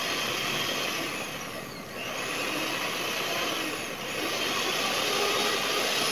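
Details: Knockoff Philips hand mixer that had run rough, tested after a glued repair: smooth high motor whir that dips briefly twice and recovers, with no rattle or shaking like before; it now runs healthy.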